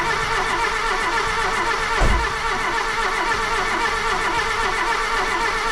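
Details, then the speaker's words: Golf II carburetted petrol engine after the carburettor rebuild, owner thinks the earlier no-start was fuel related, slight white smoke: a single start burst, then a steady, fairly even run without hesitation; normal running. "maintenant elle démarre vraiment au quart de tour je pense le le problème venait vraiment du carburant"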